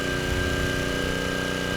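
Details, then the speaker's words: Craftsman 3600 W generator with 7 hp Briggs & Stratton engine holding a 1500 W load; even, steady drone with no hunting or surging, engine sounds good and THD only rising to about 7.3–7.4%. "engine sounds good and the THD did not come up that much"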